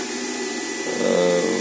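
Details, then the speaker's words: Charger cooling fan on a homemade 24 V 280 Ah LiFePO4 battery setup: a thin fan whir with a faint high whistle keeps spinning a few seconds after charging is switched off. Normal run-on; undersized wires were getting warm. "так виключув зарядку зараз там ще кілька секунд він годить далі"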